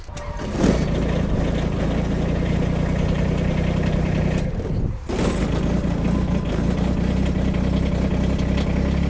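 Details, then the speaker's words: Kubota compact diesel tractor cold-started in winter weather, glow plugs used; engine catches quickly and settles into a steady, even low diesel rumble with no misfires or knocks; healthy cold start. "we're going to take this set of keys and see how far we can make it until we find one that won't start really that was it this might take a while"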